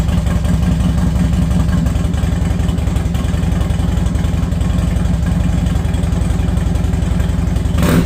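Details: Harley-Davidson Dyna Wide Glide that sat, after fuel pump replacement, recorded without the mic: deep, steady lumpy V-twin beat about three to four pulses a second, running evenly with no misses; normal running.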